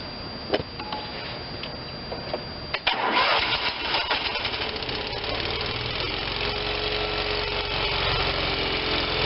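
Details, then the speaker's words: Vermeer BC625a brush chipper with Kohler Command Pro 25 twin-cylinder gas engine, run on booster pack to warm up: rough idle with a faint steady whine; owner suspects hydraulic pump whining from lacking fluid. "while i'm ruining it i could hear the hydraulic pump whining probably because it doesn't have any fluid"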